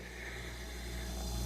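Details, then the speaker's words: Hotpoint 7 cu ft chest freezer whose compressor had stopped, just after fitting a Supco pre-wired start capacitor: steady low hum with a smooth even hiss, no clicking or cutting out. Compressor starts and runs normally. "and I can hear it's running beautiful it works"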